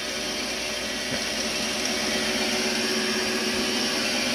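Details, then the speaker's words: Ausco lathe running: even, high, steady whirr with a slight hum and a little spindle bearing noise, but everything works. "can hear noise in the bearings. You can hear that little bit of a hum, but everything works."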